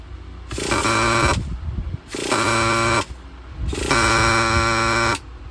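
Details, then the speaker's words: Used Traxxas Slayer nitro RC truck after priming trouble with a possibly clogged tank and bad fuel: engine catches three times in short rough bursts and dies each time; owner suspects the glow plug again, failing glow plug. "it's getting better getting a lot better come on if this freaking if it's the glow plug I'm going to I'm going to drink this no way that we're going to have the same problem back to back"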